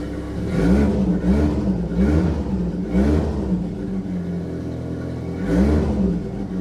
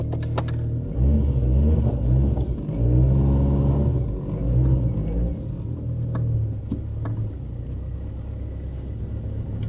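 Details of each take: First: Saab 900 Turbo with K-jet fuel injection, previously non-running, after K-jet repair: catches and runs, rising and falling cleanly through quick throttle blips; normal start and revving, though the engine still has small vacuum leaks. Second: Saab 900 Turbo with K-Jetronic fuel injection, running again after work on the fuel distributor line, pressure sensor and fuel pump suspected earlier: low rumble with uneven, lumpy firing and some revving; runs but not smoothly.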